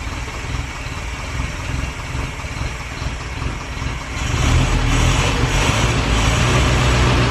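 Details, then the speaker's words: 1930s Morris 8 Series 1 petrol engine idling, now fed from the tank via SU electric pump instead of a temporary funnel, after five days unstarted; even idle rising to a slightly faster, smooth run, steady firing, no ticks or knocks; normal idle. "so that's now running from fuel in the tank which is quite encouraging to speed it up a little bit"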